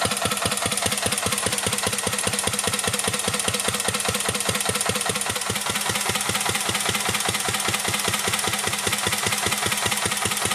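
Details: 1949 Petter A1 air-cooled single-cylinder stationary engine powering a homemade "Bitsa" generator: slow, very even beat around 150 a minute, sharp crisp exhausts with no knock or miss; pulls its generator load cleanly, normal running under load.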